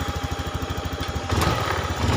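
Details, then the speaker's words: Fuel-injected motorcycle that misfires when hot and lacks power on hills, fuel pressure normal 42–44 PSI: single-cylinder idle thumps evenly, revs build late and sluggishly; fuel filter to be replaced, broken wire also implicated. "telat ya nggak langsung spontan Saya rasa motor ini wis kelar sudah normal semua"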